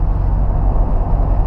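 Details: VW Gol Quadrado driving after front wheel bearing replacement, rear axle bushings also replaced: only even road rumble, no growl or hum rising with speed; front bearings sound quiet.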